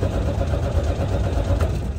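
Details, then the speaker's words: 2006 Freightliner Columbia, key on skips diagnostic check, ECM fuses checked, should have plenty of fuel; starter spins engine in an even steady rhythm but it never catches: cranks but won't start, cause suspected, not confirmed. "just won't start it should have fuel should have plenty of fuel now"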